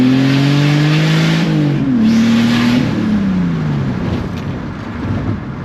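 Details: BMW E46 330i straight-six with a CXRacing turbo kit, custom 3-inch stainless exhaust, BeRacing injectors, MAF and tune: strong rising note pulling cleanly through the revs, turbo whoosh above it, smooth and even, no knocks; healthy acceleration.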